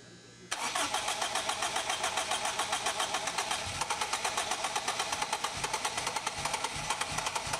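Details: Boosted K20 Acura RSX first start-up after a winter build, fuel system primed by cycling the key; short crank, catches at once and settles into a fast steady idle with an even exhaust beat; normal start and idle.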